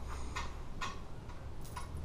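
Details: Ceiling fan at medium speed, after it reaches speed: sharp ticks every half second or so over a low hum, like a blade grinding against another part. Owner suspects loose blades; low speed stalls.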